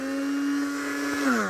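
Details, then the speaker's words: Older Tiffany brand two-speed hold-on stick blender: a clean, steady high motor whine that winds down smoothly at shutoff, no rattle or grinding. Both speeds work with little vibration, and the motor is healthy. "Yep. Two speeds work. Not a lot of vibration, which is good for these. Normally these have a lot of vibration in them."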